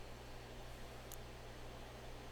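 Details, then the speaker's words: Brand new LG all-in-one front load washer after shipping bolts removed, which had caused grinding: a spin test shows a low, steady hum with no grinding or knocking as the tub spins freely; normal quiet spin after the fix. "They can hear that it's quiet and they can know that the job was done right and of course fix right."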